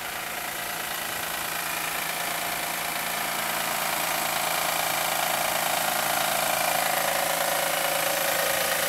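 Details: 2007 Acura MDX at idle: even, regular tapping three or four times a second over a hissy engine note; owner suspects the belt tensioner again, replaced yearly; knocking unconfirmed.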